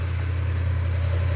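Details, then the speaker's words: 1972 Ford F100 4x4, 390 V8, four-speed, revived after 15-plus years parked: deep, even idle rumble with no valvetrain ticking, the lifter clicking having cleared itself while running. "We were seriously just sitting there running the thing, talking to each other, driving back and forth, and all of a sudden, the engine ticking went away. Those lifters cleared themselves up, just like Rick said they would."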